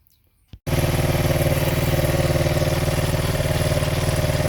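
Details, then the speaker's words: 1975 Honda XL100 K1 single, with the original carb swapped for a Chinese carb. It catches and settles into an even, steady putter of about four beats a second, ticking over smoothly with no misses: normal idle. "go just sitting there ticking over"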